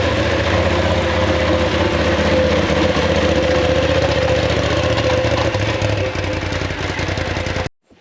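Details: 2019 Polaris XP Turbo (about 5,500 miles) after an engine rebuild for a failed crank bearing, first start: steady, fairly even idle with a low throb and some revving blips, no obvious knocking, then a clean shutoff.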